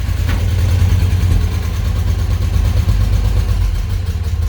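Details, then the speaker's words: 305 V6 pickup that never had exhaust, now fitted with a hot rod exhaust: deep, even low burble at idle with a steady beat, no ticks or misses, much quieter than before; sounds like an old pickup should. "just sounds like an old pickup should"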